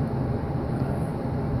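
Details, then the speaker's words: Intertherm electric furnace, 3-ton, all 15 kW heating elements on, about 1100 CFM airflow, checked after smoke-alarm and no-heat complaint with a rusted, overflowed coil pan: smooth, steady low rumble of air, no surging or rattle; normal blower operation. "now blower running strong we're going to let it run for a few minutes make sure the house doesn't blow up"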